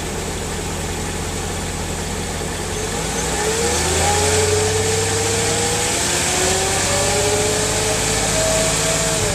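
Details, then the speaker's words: 2003 Mercedes S55 AMG, about 186,700 miles, after new ABC hydraulic pulsation damper: revved from idle to about 2000 rpm, faint smooth pump whine rising with revs instead of the failed-damper whine; no leaks or ABC warnings; normal hydraulic pump operation. "my car is much quieter it was about new pulsation damper there's less hydraulic winding sound"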